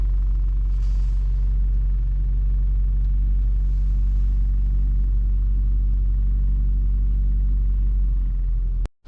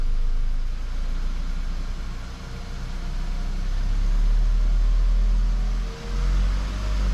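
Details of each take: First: VW Golf Mk5 (Golf V) with 50,000 km, engine running around 1500 rpm: deep hum with a busier buzzing rattle from the inside right side, caused by fuel lines rattling against the body frame after a fuel filter change; fixed with zip ties. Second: VW Golf Mk5, about 50,000 km, after zip-tying fuel lines rattling inside the right-side frame following a fuel filter change; engine revs and settles with smooth deep rumble, no rattle; normal engine running.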